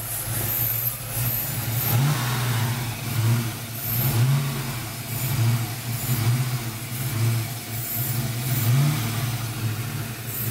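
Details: 302 V8 with rough idle after upper intake was removed to replace valve covers, ran fine before reassembly: idle surges and sags about once a second with an uneven, lumpy beat; cause unknown.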